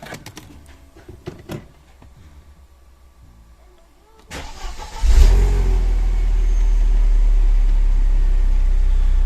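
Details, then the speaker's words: Mercedes CLK after flywheel and clutch replacement for a metallic noise at idle: the starter cranks briefly and the engine catches into a smooth, steady idle with the metallic rattle gone. "elle fait plus de bruit vitesse ça se passe bien ça va donc on est nickel"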